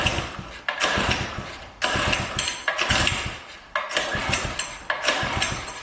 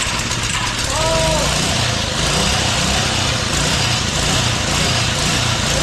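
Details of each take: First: Doodle Bug minibike with bad clutch: about eight rough pull-cord rasps, never fires, one short whirring spin at the end; spark present yet no start, bad spark plug blamed. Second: Doodle Bug small single-cylinder engine after a spark issue was chased and an E3 plug replaced with an NGK: it catches and settles into a steady buzzing run, picking up briefly with a little throttle; it runs healthy.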